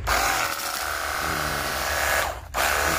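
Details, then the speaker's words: Cordless battery jet cleaner, repaired after it hummed, got hot and would not turn or pump water: now a high, steady motor whine dipping briefly with the trigger, running smoother and quieter. "Siap dipergunakan untuk cuci motor ataupun mobil dan suaranya lebih kalem ya, lebih halus."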